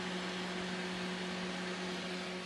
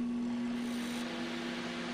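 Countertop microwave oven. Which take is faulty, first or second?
first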